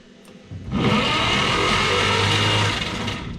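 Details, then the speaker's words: 1951 Chevrolet truck that sat for years cranks with three seconds of steady fast whirring but never fires; there is no spark at the coil wire, so it cranks but won't start. "oh yeah I hear a bunch of things interfering with each other"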